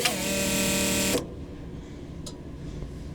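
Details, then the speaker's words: US Jetting sewer jetter that cranks but won't start, front cover off, power toggled off and on: bright steady electric whine for about a second then stops cleanly as the fuel pump primes; fuel verified flowing through the filter; normal pump operation. "So, now we're listening for the fuel pump. And we do hear it coming on. And we also verified the fuel is flowing through the filter."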